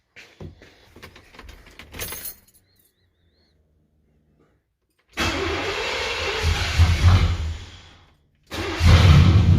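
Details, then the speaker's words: 1998 Vortec just after spider injector replacement: engine catches, settles into a steady low rumble, cuts out, then restarts evenly and runs smooth with no misfire; sounds like it's running better. "so sounds like it's running better"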